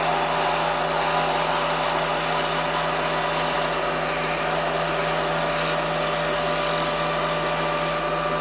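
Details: Drilling near a part edge with an unsupported pilot at high RPM, long stick-out, heavy feed: harsh screeching chatter over a steady high spindle whine throughout the cut; drill chatter.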